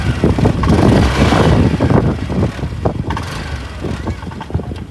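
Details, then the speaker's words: BS6 scooter crank no-start: uneven chugging bursts as the starter turns the engine over but it never catches; the small fuel pump motor in the petrol tank has failed, stopping petrol supply to the engine; owner links it to running below 1 litre of fuel. "ಆ ಚಿಕ್ಕ motor engine ಗೆ petrol supply ಮಾಡ್ತಿರುತ್ತೆ. ಆ motor ನನ್ನ ಗಾಡಿಯಲ್ಲಿ ಕೆಟ್ಟೋಗ್ಬಿಟ್ಟಿದೆ ಗುರು. ಅದಕ್ಕೆ ಗಾಡಿನೇ start ಆಗ್ತಿಲ್ಲ."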